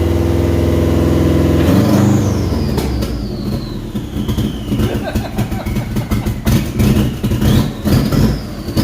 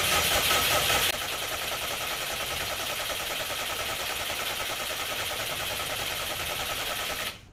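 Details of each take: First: Subaru Brat with WRX swap, started after cam sensors were cleaned: about two seconds of cranking, then it catches and revs, settling into a slightly uneven run with a faint whistle; engine starts and runs, cause unknown. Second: Subaru Brat with WRX engine swap, long unstarted, number 3 spark plug found wet: starter spins the engine steadily for several seconds but it never catches or fires; cranks, no start, cause unknown.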